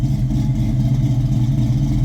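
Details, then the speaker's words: 1995 Mustang GT, small-block Ford with hydraulic roller cam (suspected F-cam), GT40 heads, Paxton supercharger, long-tube headers, idling 10–15 minutes: deep loping uneven exhaust rumble, healthy big-cam idle. "Man, this thing's doing the small block forward shuffle. Listen at that little rumble. If you're a small block Ford guy, you appreciate"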